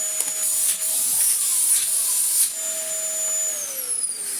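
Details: Dyson DC19 T2 bagless cylinder vacuum, old and worn, before refurbishment: motor runs with a thin high-pitched whine and airy hiss with little depth, struggling to produce enough airflow; reduced suction airflow.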